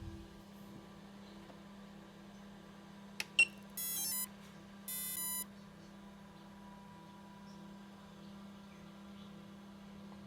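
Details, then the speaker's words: Home-built small-scale three-phase four-pole motor with its speed controller on a 31 V 10 A supply, microphone moved down close: steady hum, then a tick and two short bursts of rapid high beeps at switch-on; normal controller startup chime. "So you should hear something similar to that when you hook up your speed controller."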